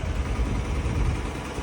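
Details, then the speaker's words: Small single-cylinder Harbor Freight Predator engine in a Catalina 30 sailboat, pulling under load as the boat moves: steady, even, smooth low rumbling drone. Normal running under load. "You hear the difference in the sound? It works. So there you go. The old Harbor Freight engine in a sailboat."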